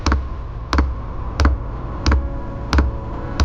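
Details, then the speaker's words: RV diesel heater on 12 V, fed from an external top-feed tank, on its fourth start attempt: steady soft fuel-pump ticks about 1.5 per second over a low fan hum while priming before ignition. "First turn it on. Does take a while for the pump to start ticking away."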